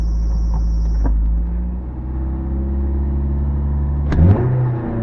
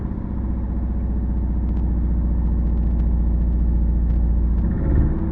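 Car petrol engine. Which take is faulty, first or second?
second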